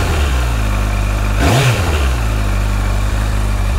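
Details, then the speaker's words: Honda CBF 1000 motorcycle on original exhausts: one quick throttle blip rises and settles cleanly, smooth, mellow and quiet; normal revving. "Et d'un point de vue sonorité, donc vous entendez les échappements d'origine, ça ronronne correctement, c'est très polissé, le niveau sonore est très modéré, peut-être même un petit peu trop modéré."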